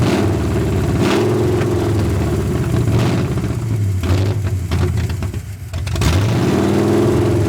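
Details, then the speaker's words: 1981 Ford Mustang 5.0 V8, parked since 1996, fed by a temporary micro electric fuel pump after the dry mechanical pump failed: idle hunts and stumbles, nearly stalling before recovering; owner suspects a bad vacuum leak, possibly the carb gasket, or off distributor timing. "I'll hook everything back up, and hopefully this time it'll sit and idle. This thing has a horrible vacuum leak somewhere."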